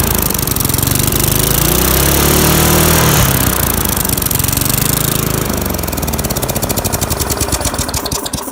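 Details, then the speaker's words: Free lawnmower small engine after a carburettor clean and points cleaning: it runs hard and steady, then pops unevenly as it slows. Backfiring on deceleration, which the owner suspects means it runs rich; unconfirmed. "it does backfire which tells me it's either one lean or too rich and since it's on deceleration I'm gonna say it's rich"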